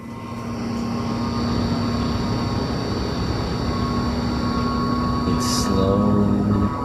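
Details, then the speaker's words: Computer booting a hardware test disc to check the drive: loud, steady rushing air with faint hum building to a roar. Fans spin up flat out for no clear reason and keep getting louder; something is wrong. "I'm just seeing if this stinkin Drive will even work with this thing right now sort of this thing the fans are spinning up"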